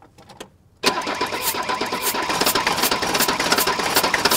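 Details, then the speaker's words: 1983 Mercedes 300D diesel, compression test with fuel shutoff held: steady uneven cranking at two to three beats a second, no firing; this cylinder reads 300 psi, low but enough to fire. "but I've got 300 psi now that's not that great of compression but it's good enough for the engine of fire"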